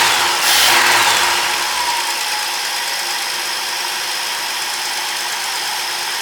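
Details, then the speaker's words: 1954 International R100 pickup repowered with a fresh Ford 300 six-cylinder, first start before coolant is added, alternator charging: brief starter whirr, then it catches into a steady, even idle with faint fan hiss; runs excellent. "Well, how about that? It runs excellent. I am very, very pleased with how it sounds."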